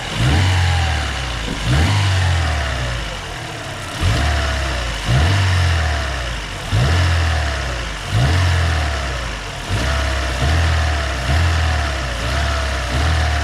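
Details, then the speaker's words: Daewoo Lanos engine after rebuild for knock (original factory hone left), warmed toward operating temperature: engine blips up and settles repeatedly, smooth and clean with no knock; earlier noises gone once warm, normal revving. "а дымит как бы то что горит так машину прогрели сейчас уже этих звуков не слышно"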